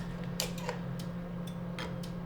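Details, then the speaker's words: ClearPath servo on X axis of MASSO-controlled Precision Matthews PM728 CNC mill conversion, 75V power applied after e-stop release: a couple of sharp clicks over steady low hum as servo energizes and locks; normal servo enable. "Okay, I just heard the servo come on and it is now locked."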